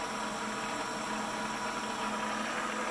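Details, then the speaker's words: Precision Matthews PM-728V-T mill spindle on the high-speed pulley set, wide open at max speed (about 4,375 rpm): quiet, constant hum with a faint steady whine, no grinding or rattle; normal, smooth spindle running. "crank it up a little bit so now we're starting to get a little faster this is over 3000 rpm so here we go that's it that's wide open that is max max speed it's pretty quiet in the vibration"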